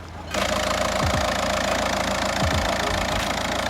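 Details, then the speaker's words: 2006 VW Jetta TDI 1.9 diesel, five-speed manual, about 308,000 miles, a salvage-auction car started after its battery issue. Steady diesel clatter settles into an even idle right after firing, with no misses or odd knocks. "does it sound seems to be running perfectly fine"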